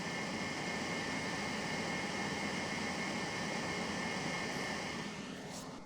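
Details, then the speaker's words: Dabbsson 2000L portable power station cooling fans during AC charging, nearly full, recorded on the speaking mic: steady loud rushing airflow with faint even tone, no whine or rattle; loud but normal. "So they're loud, but it's not obnoxious. I've heard way worse. I've heard whiny, like high-pitched sounds that are like almost unbearable. This is not that."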